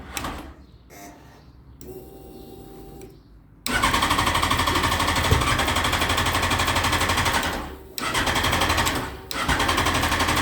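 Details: Yamaha FZ1 after valve clearance adjustment, brand-new battery: fast, even machine-gun clicking about four per second in bursts when pressing start, never fires; cause unknown.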